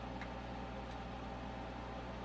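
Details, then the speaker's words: MTI-era Ampeg SVT bass tube amp after recap, new pots and added master volume, turned all the way up: steady low mains hum with faint hiss, no crackle, quiet once the hum balance control was adjusted. "Pretty quiet for an amp that's turned all the way up. That's dope. It's pretty quiet with that balance control adjusted."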